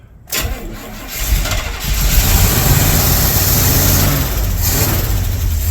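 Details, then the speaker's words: 1982 Chevy K10 that sat nearly 5 years, started with a jump pack. Starts and settles into a lumpy, uneven idle with stumbling beats. Cylinder misfire. "Really? No way. Got a misfire, that's for sure. Good idling. Yeah, definitely got a miss."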